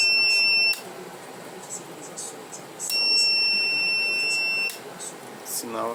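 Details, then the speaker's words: Reliable 03 inverter on bench repair, fed from a bench power supply: two long shrill beeps, under one second then about two seconds, as it signals a short circuit and the supply goes into protection. "aqui de... dando um sinal aqui de curto-circuito aqui. A fonte está entrando em proteção."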